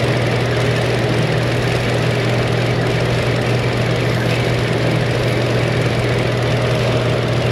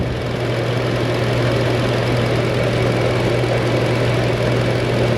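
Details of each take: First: Car with lean code and suspected misfire, fuel trims being tested at idle: steady idle hum with faint airy hiss from a deliberately opened vacuum leak; fuel trim still subtracting fuel, engine runs rich, close to stalling. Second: Car previously showing lean code and fuel trims up to 40-60%, restarted: steady, even idle with no misses; running decently, trims now around 3-4%.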